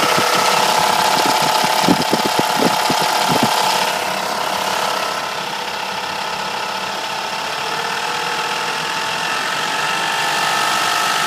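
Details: Mercedes W210 E430 V8 at idle: uneven rattling tick over a steady hum for the first few seconds, then smoother. Owner is unsure whether the cause is the alternator, another pulley, the chain tensioner or low oil level.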